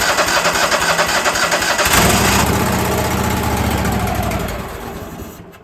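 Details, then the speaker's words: Old machine, either the Ford tractor or the sawmill being worked on. Starter cranks steadily with a short surge that never catches, then winds down. Seems not to be pulling fuel; the solenoid is not heard clicking. Crank no start. "Still acts like it's not pulling no fuel. All right. I can't hear that solenoid stick uh clicking again."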